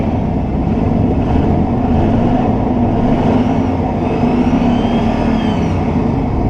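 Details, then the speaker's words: Truck started after 2 years of not running, revved to 4,500 RPM. Strong, clean, even roar with no knocks or misses; an exhaust leak was spotted at the back afterwards. Healthy revving. "Dude, this thing fires up like a fucking treat! Then she'll take 4,500 RPM after what, 2 years of not running, no fucking problem."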